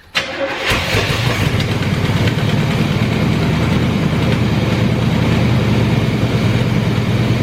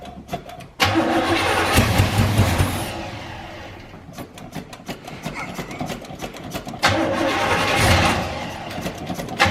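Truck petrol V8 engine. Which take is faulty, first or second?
second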